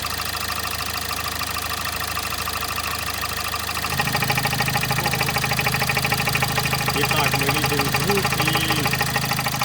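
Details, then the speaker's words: Kia Sportage 1.7 D4FD CRDi diesel, 15,000 km, under warranty, warm: at idle a steady rapid knock near 200 per minute that gets louder with the oil filler cap open, with exhaust gas escaping there. Barely heard when cold; the dealer suggested injectors. Knock with blow-by, cause unknown. "Kia Sportage 1.7, дизель, лишний звук в моторе. Может, что-то специалисты посоветуют."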